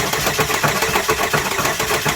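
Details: Chevy Sonic after jumping off a 10-foot wall, starter relay stuck on: engine cranks fast and evenly with no firing or compression strain; suspected internal breakage at timing belt end, cranks no start.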